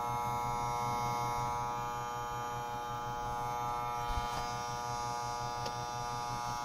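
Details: Desktop PC, power supply replaced 2–3 months earlier; loud constant high-pitched electrical buzz with low hum began a month ago, seemingly near the CPU; stopping the GPU, case, PSU and CPU fans doesn't change it; PC freezes during boot.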